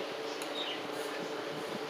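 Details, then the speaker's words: Comfort Zone industrial heater: an even, steady fan whoosh with a low hum and no rattle. This is normal fan operation, unlike the defective unit whose fan rattled. "our little helper here and it's amazing that's how it's supposed to sound"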